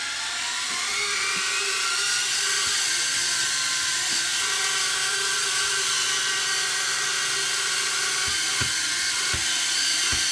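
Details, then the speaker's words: Sony DSR-11 DVCAM deck in fast forward: thin steady high screech over whirring transport; reel motor ruled out by touch, owner thinks the capstan motor is screeching. "I think it's the Caps the motor that's streaming"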